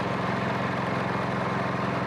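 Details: MTD snowblower, stone cold, with fuel in the tank, on a little choke: small engine runs rough and uneven, hunting at low speed; lean stumble from a probably plugged pilot jet.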